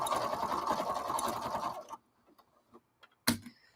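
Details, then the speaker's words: Sewing machine while stitching: steady hum with light, uneven clicking about three or four times a second, then it stops. Owner suspects dust or dirt and plans to open and clean it; cause not confirmed. "there's a clicking noise Trisha can hear it I don't know if anybody else it's not a hugely loud noise but it's a noise that shouldn't be happening"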